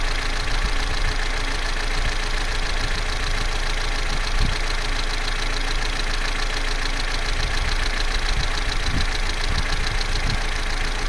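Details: Vauxhall Corsa C, Z14XEP petrol engine, 86,000 miles, cold idle from start-up to about 6 minutes: a smooth, even low hum with no clear rattle. The timing chain rattle only becomes pronounced at full operating temperature.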